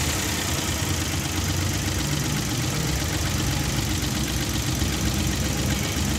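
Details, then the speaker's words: Daihatsu Hijet three-cylinder, after fixing misfire and setting timing marks: even steady idle, no stumbles or dips; missing and vibration gone, normal idle. "गाड़ी start हो गया set हो गई गाड़ी के अंदर जो मिसिंग ए रही थी वो भी देख सकता है खत्म हो गई वाइब्रेशन वगैरा"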